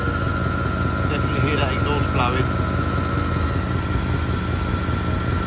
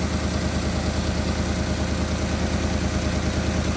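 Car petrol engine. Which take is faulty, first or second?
first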